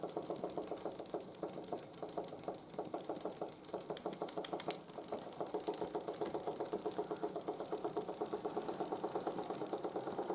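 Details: 1914 Ernst Plank 114/1 steam engine running on steam after running gear rebuild: fast even ticking about four beats per second per stroke; knock remains, clunks a bit when hot, but much quieter than before. Running gear knock.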